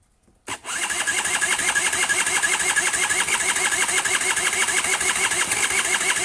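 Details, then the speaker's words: Honda Nifty 50 two-stroke parts scooter with fluid pouring from the bottom, spark present: steady fast cranking about three turns a second with a buzzy rasp but no catch; engine spins over yet won't fire, cause suspected. "heck, man, this thing's like actually turning over pretty nicely, so I would genuinely like to see if it's going to do anything"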